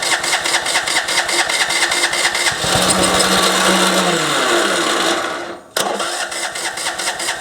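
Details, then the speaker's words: MTD ride-on mower, deck removed, with surging engine, after carburettor work and running without air cleaner: starter churns evenly, one brief whirr then dies, engine cranks but won't start. "all right so why won't you start at this point I couldn't actually believe that I've made it worse"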